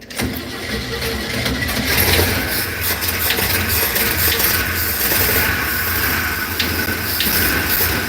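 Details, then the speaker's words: Box van with 6.0 engine, about 166 on odometer, long-sat: harsh, unsteady running with fan roar; earlier valve-rocker-type knock heard; rough running, cause not confirmed. "I'm waiting for it to blow up. I don't know. You can see the fan spinning. Look at the fan spinning. The view as it is. Whoa. I don't know. It's slapping around so much. This is ridiculous."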